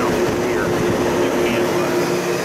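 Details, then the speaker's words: C4 Corvette (1984–1996) in diagnostic mode, key on, flashing code 12; steady rushing whoosh with a faint constant hum and no rubbing or ticking as the primary and secondary cooling fans both run, normal fan operation. "Then you come over here, and I can feel air coming out of this primary, and then I hear the secondary over there running."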